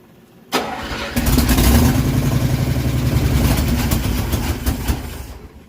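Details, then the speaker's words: 1968 Dodge W200 Power Wagon, 383 big block V8, just after distributor reinstall and a stuck float: cranks, catches, then runs at an uneven, lumpy idle that never settles; water in the carburetor suspected of covering the jets. "water in the carb I'd say covering the Jets yeah pretty common problem we seem to run into water in the carburetor but it runs Kinda"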